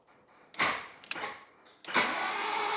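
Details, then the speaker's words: Rare 1980s turbo Toyota, cranked via screwdriver after fitting the older, larger starter motor in place of the one that jammed with a clunk: a couple of bumps, then free, even cranking with no jam, sounding healthy. "hey there we go okay so we have rotation which is fantastic um sounds relatively healthy which is good"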